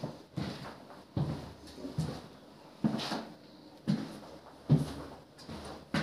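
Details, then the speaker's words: Wooden apartment floor after screwing about 100 screws through the boards into the joists: steady dull footsteps with no creak or squeak. "полы теперь не скрипят"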